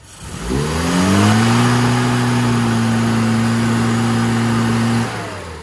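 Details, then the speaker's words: Mini before tune-up, plugs gapped too wide: throttle opened but the engine climbs sluggishly to a flat, strained drone and won't rev freely; retarded ignition timing and a lean carburettor, revs perfectly after fixing. "just a quick opportunity while this is running actually uh just to get a quick sound of a flat engine so I'll pull the throttle open it won't even rev up"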